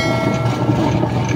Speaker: Sa bungad pa lang may malaman mo talaga na may problema na yung gearbox niya or gear case yan o maingay siya